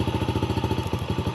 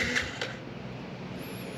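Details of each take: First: 2019 Yamaha TTR50 single-cylinder dirt bike at idle: choppy, uneven beat with brief cut-outs where firing drops; cause found to be spark plug boot end arcing against the engine, fixed by trimming cable, new connection, dielectric grease. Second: 2019 Yamaha TTR50 after fixing an intermittent cutting-out problem; brief cranking, then single cylinder catches cleanly into even steady putter about three beats a second; normal start and idle.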